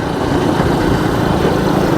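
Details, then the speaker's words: 1986 Honda TRX 125 after spark plug cap repair for lost spark: small single runs with an even, steady putter, no misses or knocks, pulls cleanly. Running normally. "Oh yeah, baby. Little TRX 125 1986. It runs pretty good actually."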